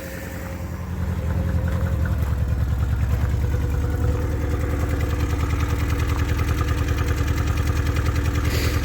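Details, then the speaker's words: 1985 Chrysler New Yorker, first start after sitting a few months, not charging the battery: lumpy, uneven idle with a loping beat about three pulses a second and occasional dropped firing; owner suspects it's missing on a cylinder, unconfirmed. "almost sounds like it's missing probably doesn't help with that it's not charging that battery may not be it's definitely sound like it's missing on a cylinder"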